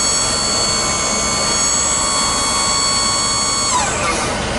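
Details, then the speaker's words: Auto park brake hydraulic pump fed 12 volts and run continuously while diagnosing an auto park failure: a steady hum with a constant high whine, no cycling or faltering. The pump works fine and is ruled out. "So this is a pump. Does not appear to have any failure with it as far as cycling issues. And it's just staying pumping."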